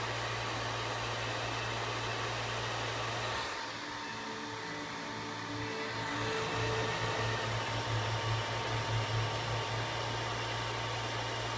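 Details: PS3 Super Slim cooling fan, even on a cold startup: a loud, steady rush of air like a blow dryer that briefly dips, then roars back up; the fan is running far too hard.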